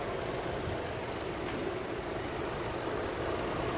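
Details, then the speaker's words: Chevrolet Trax after cylinder head work, idling with radiator fan running automatically; even idle under steady fan rush, no irregular knocks; air still in coolant system, heater blowing cold, coolant bleeding pending. ">> Ikot na eh. Pero may ano pa to may hangin pa kasi ayan malamig pa yung binubugan niyang kwan eh."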